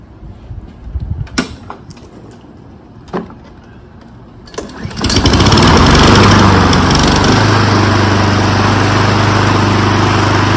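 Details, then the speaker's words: Honda lawn mower after the spark plug was replaced with an NGK plug torqued to 14 lb-ft: after a few pulls it settles into an even, steady idle, curing the earlier inconsistent idle; air filter checked clean. "That fixed it. So we're fortunate that was all it was. So that's how we change the spark plug and fix an inconsistent idle."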